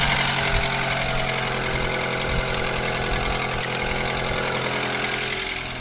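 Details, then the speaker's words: Mitsubishi ASX 4A92 engine at idle: dull, somewhat irregular knock three to four times a second, heard between cylinders two and three near the exhaust manifold; piston knock. "Стук слышен где-то между вторым и третьим цилиндрами, ближе к выпускному коллектору."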